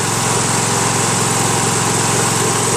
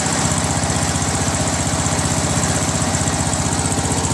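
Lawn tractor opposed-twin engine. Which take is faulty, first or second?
first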